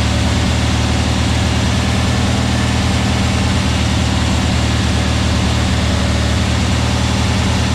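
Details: Freshly built VW Beetle 1679cc single-port flat-four with Scat C25 cam and dual Empi ITC carbs during its 20-minute cam break-in after first start. It gives a steady, even low drone at fast idle, firing smooth and regular with no knocks or misses. Normal running; carbs still need tuning.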